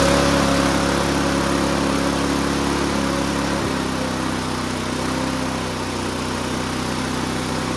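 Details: Bob-cat push mower recovered from a junkyard, reassembled and run at full throttle: strong, steady drone with even firing and no misses or surging; normal full-throttle running.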